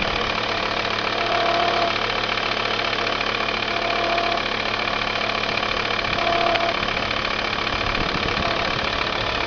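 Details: Volvo V70 diesel at idle: busy rattly clatter with a faint repeating tone on top; cause unknown.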